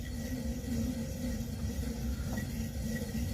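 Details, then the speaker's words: Mid-1970s Shimpo RK2 pottery wheel motor spun by hand: rough steady rumble with a faint squeal from worn, squeaky bearings; motor to be opened and bearings replaced. "so they're like really squeaky inside of there and I need to open up this motor and replace the bearings inside"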